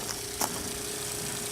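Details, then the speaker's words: Free RV drinking water pump, previously leaking, after being disassembled, cleaned and reassembled, pumping water fast: quiet, steady even hum, no knocking or rattling; pump body not leaking, only loose fittings; normal running. "You see how fast that water's going down, I hope. Quiet pump too. So it seems to be working."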